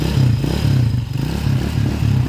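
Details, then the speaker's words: Honda TMX155 converted to 200cc and overhauled (new timing gear, clutch lining and damper, cam follower, tappet screw, seals; CDI changed to contact points), magneto cover off: rhythmic rev rise and fall, firm even exhaust beat, no knocking; smooth normal running. "Ayan o, nawawala pag pinipigan natin yung throttle. So far so good, smooth yung makina mga kabro."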